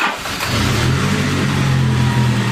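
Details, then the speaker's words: Engine flushed of milky oil with the crankcase filled with nothing but diesel: starts and settles into a steady, even low idle, smooth hum, no knocking or ticking; kept at idle only, running fine. "But just idle should be fine, should be sweet as. Fire up."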